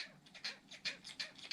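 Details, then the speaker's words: Losi Mini-T 2.0 RC truck after three months: sharp high squeaks about three times a second as suspension cycles; squeaky shocks and turnbuckle ball ends. "you can hear that they're uh it's like the turnbuckles if you squeak the turnbuckles well they get squeaky on the balls"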